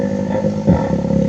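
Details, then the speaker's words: Genesis Superbass car subwoofer fed from a phone via jack before repair: low rough growling buzz riding on bass notes instead of clean tones, distorted crackly output; faulty components yet to be found. "suaranya ngorok teman-teman seperti itu ya oke ya suaranya ngorok seperti itu teman-teman ya"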